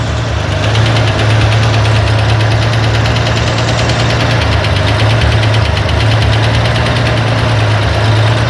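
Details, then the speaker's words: Corvair engine on a run stand at idle, hot valve adjustment: fast even light ticking over the air-cooled idle, a steady lifter clatter from loose valve lash once the hydraulic lifter bled out. "It just took a while to bleed out. I think it's staying now. Everybody agree it's got a good clatter going?"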